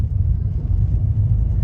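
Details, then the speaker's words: Ford Focus road test after replacing a bad strut, sway bar link reinstalled; low, even road rumble with no clunks or knocks over bumps, sounds much better than before; suspension noise fixed, normal. "yeah at least it's not see yeah it sounds much better that's going to do it for us the car is good to go"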